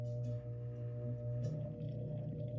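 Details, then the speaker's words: Antique Emerson Electric 8-inch table fan, model 11644, circa 1910–1911: steady low mains hum with no rise in speed while drawing current, so the motor fails to start unaided. Owner suspects a burnt start switch or winding, or a switch not engaging. "Now, this one has a start switch issue where I don't know if the start switch is burnt or the winding is burnt or the switch is just not engaging right."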